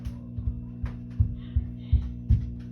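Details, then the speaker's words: 5E3 tweed Deluxe amp kit build, nothing plugged in, first filter cap already replaced with 30uF which helped slightly; steady low mains hum from the speaker unchanged by knobs, with soft chassis handling thumps; cause unresolved. "a very low hum coming out of the speaker nothing's plugged in it doesn't really change if i turn knobs"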